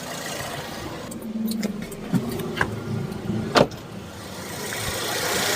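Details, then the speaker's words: Used car engine idling, AC switched on; a few clicks then a gentle rise in engine speed and level; idle-up working normally. "kita hidupkan berarti putaran mesin akan bertambah itu namanya Eagle up"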